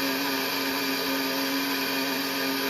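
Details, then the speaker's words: Ghostbusters Ecto-1 model kit, issue 34, first light bar running: constant thin mid-pitched whine throughout; lights work well but the tiny drive motors whine noisily, owner unsure if it can be dampened. "i mean with the exception of the noise the lights work really well it's just it's just the bloody noise i don't know if we could dampen it or what"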